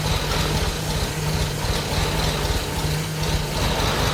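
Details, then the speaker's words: 1987 Audi 5000CS turbo, sat 20 years in a field, first running: lumpy uneven idle with irregular low thumps and skipped beats, smoking; misfire, not firing on all cylinders, cause not confirmed. "I mean, not on all cylinders, but it's running not well when it's on."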